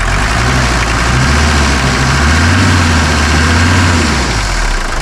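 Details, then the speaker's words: 1981 Mercedes 300GD diesel with glow plugs, revived after 6 years parked, started first try and idles with steady, even clatter, no miss, knock or hunting. Judged perfect, sounding glorious: normal diesel idle. "¿Va bien o no va bien? Es que suena a glorias, mira."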